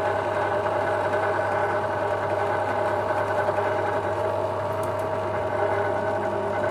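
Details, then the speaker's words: Ryu bench drill after cleaning and greasing service: smooth steady hum with even low drone and constant mid tone, no knocks or grinding, running cleanly, speed varying up and down. "Nah ini ini kan tadi kan sudah dibersihkan ya kita coba Nyalakan Apakah suaranya halus"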